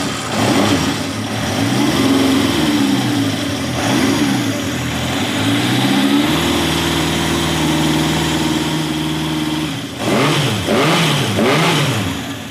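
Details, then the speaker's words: 1971 Honda CB750 K1, 18,000-mile original bike, hard starting, running cold with choke backed off. Idle was set warm the day before, yet it hunts and surges with revs sagging and catching unevenly and won't hold idle. Poor cold running, carb-related. "does I know it's cold but it just does not want to run I have the idle set from yesterday when it was warmed up so it you know it should be pretty it should run"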